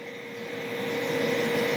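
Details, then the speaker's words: VTOMAN Jump 1800 portable power station under about 1168 W load heating water: a steady whirring swells over a couple of seconds as the auto cooling fan kicks in; normal cooling fan operation, not overheating. "Also, you can hear that fan kick in. It's got a auto cooling thing, so it's not going to overheat."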